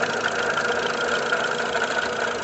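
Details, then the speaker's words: VW Gol G5 1.6 EA111 at idle: constant dry whirring hum from the rear of the engine that does not change; water pump bearing believed broken, to be removed with the timing belt. "100% de certeza que é a bomba d'água que está com o rolamento quebrado."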